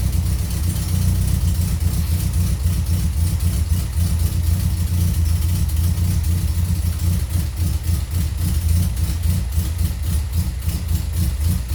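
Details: Toyota Corolla KE55 with the 4K-C 1.3-litre engine on a cold start: a deep exhaust burble with a fast, light ticking riding on top in step with the engine; loud valve tappet noise.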